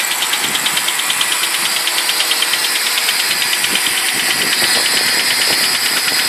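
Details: BMW 745i E65 engine at 2°C outside, cold start: sharp, regular metallic clatter/knock about three times a second at idle, disappearing after 1 min 20 s; owner suspects an old chain tensioner, source unconfirmed.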